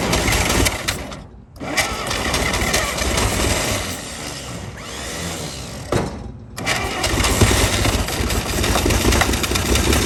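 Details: 1937 Chevy truck six, sitting about 45 years, runs rough and uneven on ether/starting fluid, dying out twice and picking back up; carburetor froze up from running on ether so long, but it runs.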